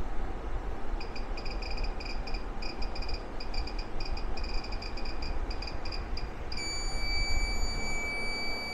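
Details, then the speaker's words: REDODO 2000W 12.8V pure sine inverter on 12V battery (12.9 V, not low), about 1132 W in and 1040 W out: rapid high chirps in bursts, then steady beep as cooling fans come on; inverter alarm under load, cause unknown. "something happened it's cry it's screaming over here what's going on because the fans are coming on"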